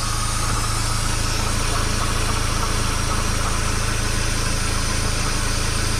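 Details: Mazda Miata NA/NB with timing belt at idle, in the shop: a light, even clatter of about three beats a second from under the front timing covers that comes and goes; timing belt tensioner rattle suspected.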